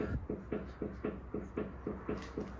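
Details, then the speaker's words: Car rocked by hand after test drive: steady dull clicks about four a second from one front corner, same knocking heard when driving; front suspension knock, drop link suspected. "for a little test drive with his car there is definitely a knocking noise coming from the suspension at the front"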